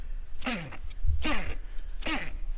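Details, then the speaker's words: Battery charger's fan motor running: groaning squeal sweeping down in pitch about every 0.8 seconds over a low drone; worn-out fan motor, to be replaced. "yeah sound like it should be giving a sign language don't it it ain't no good so we're going to get rid of this thing"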